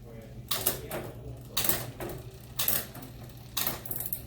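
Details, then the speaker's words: Mountain bike with SRAM GX Eagle drivetrain running a SunRace 51-tooth cassette, shifting through gears; crisp single clicks as each gear engages, no grinding or chatter, nice and smooth. "You guys can hear that, it's nice and smooth."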